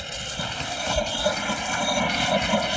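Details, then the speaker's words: Whitewater well being purged after a freeze and minor leak repair; irregular spitting and gurgling air bursts over a hiss, showing the line is blown clear of water and only air is now pumping. "Once we start sputtering air out of that, then we know we're good."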